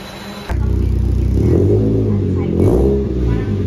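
Engine fires up and revs hard, the note climbing and falling evenly with no rattles or leaks; exhaust sounds secure and healthy.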